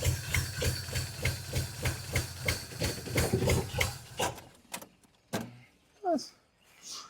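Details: 1981 Pontiac LeMans G-body wagon with swapped-in Pontiac 400 V8, sat many years, running on bad old gas: uneven, lumpy chuffing with a hissy pulse about three a second that falters and dies out; misfire, not running on all cylinders.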